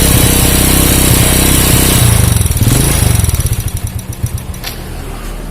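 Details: Honda Supra Fit motorcycle that stalls when hot, kicks hard and dies unless throttle is held: heavy lumpy running sagging into slow uneven chuffs, exhaust very hot; oil not reaching the cylinder head.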